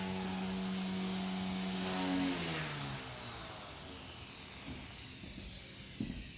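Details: XK K130 RC helicopter after replacing the servo gears broken in a crash: smooth, clean motor whine with no gear chatter or grinding, winding down evenly; normal rotor spin.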